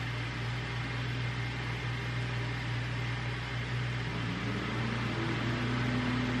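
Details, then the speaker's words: 2015 GMC Acadia 3.6 with hard starting and stalling, cold engine just started, AC off: loud steady rushing whoosh over a low engine hum. Cooling fan stuck on high from a faulty engine coolant temperature sensor. "So the fan's kicked on already, and the car's cold. I mean, 100 degrees. The air conditioning's not on, so there really isn't a reason why the fan should be kicking on already."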